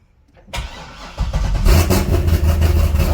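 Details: C6 Corvette that cranked but would not start, after bending a terminal tab back up for spring contact: starter cranks briefly, engine catches cleanly and settles into steady idle; starts normally.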